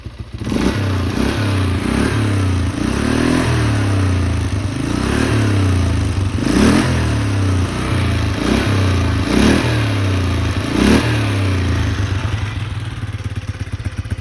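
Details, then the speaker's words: 2004 Polaris Sportsman 400 ATV, water suspected in carburettor after pressure washing: single-cylinder thumps through repeated throttle blips, revs rise and fall a little rough and boggy, black smoke; running rich, then improving. "with the throttle and what happened was black smoke started to come out and then it gave him more throttle and now it made a big difference"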